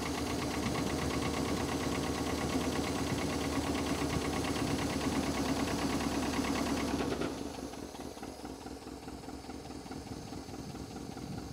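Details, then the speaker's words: International Scout 80 (1963–65), sat over 10 years, first run with fuel hand-fed by bulb: uneven, loping idle, lumpy beat about three per second before dropping off; owner suspects not all cylinders firing, plans fuel system then ignition work (Pertronix, cap, rotor, plugs, wires). "I think what I'm gonna do is get the fuel system working correctly then the ignition, it doesn't seem like all the cylinders are firing."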